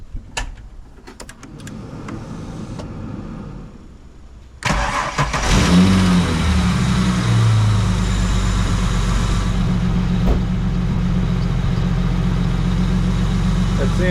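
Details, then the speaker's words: Holden VY V6, stone cold and unstarted that day, just fitted with new Bosch plugs after 9 years: quiet, then it catches near five seconds and settles to a steady, even idle with no misses; healthy cold start. "That sounds pretty good, eh? I reckon, I mean, you know, when you work on cars for long enough, I can hear at least another 10 kilowatts there, easy."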